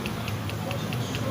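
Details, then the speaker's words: Honda Pop 110i engine reassembled by another workshop, rod rocked by hand: sharp light clicks about five per second from connecting rod play. The engine has been fully reopened. "Infelizmente aqui, ó, o motor vai ser realmente todo, foi aberto realmente todo novamente, porque alguém tentou colocar sem muito conhecimento, ou se tem conhecimento bastante, cometeu esse erro aqui, que é ter deixado uma folga na biela."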